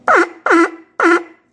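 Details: Fordson Major E27N tractor vibrator horn, points just set, before tone adjustment: three short harsh honks, each about a quarter second, buzzy and rough-edged.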